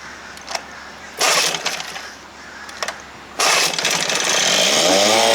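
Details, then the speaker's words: 1968 Evinrude 6 hp two-stroke outboard, heavily choked, at start position: splutters in uneven bursts, catches briefly, then dies; wet carburetor full of gas, flooding, plugs later found soaked black. "wet carve is full of gas"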